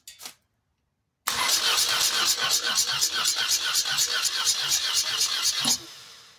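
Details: 1986 BMW R80 custom bike, rebuilt after a wreck and cranked after topping up low oil: the starter turns the engine with steady compression pulses about twice a second under a raspy hiss; the owner notes a weird noise of unclear cause, and the oil is old and unchanged.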